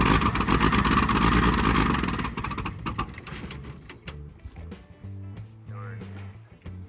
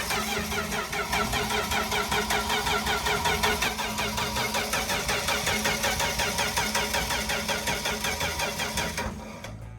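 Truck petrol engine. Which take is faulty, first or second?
first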